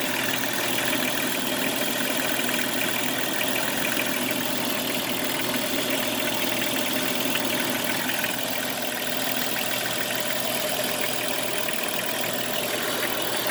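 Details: Jeep Cherokee XJ at idle: steady idle with loose uneven metallic rattle plus hiss; owner also reports scraping metal noise near power steering pump; rattle/knock source unclear.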